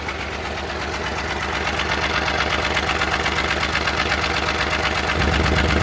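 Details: Suzuki Multicab, F6A three-cylinder engine, idling: uneven, stumbling beat around 160 pulses a minute that won't stay steady, indicating a random misfire under troubleshooting.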